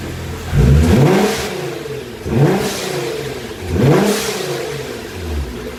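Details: 2015 Nissan GT-R Gentleman Edition, 550 hp, after fitting aftermarket dump valves on both left and right sides: three sharp revs, each followed by a quick airy whoosh on throttle lift; valves venting boost normally.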